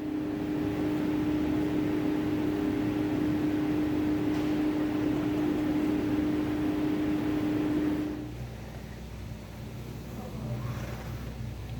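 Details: 2019-2022 Nissan Kicks driving: steady low drone over road noise from a worn rear wheel hub bearing, fixed by rear hub bearing replacement.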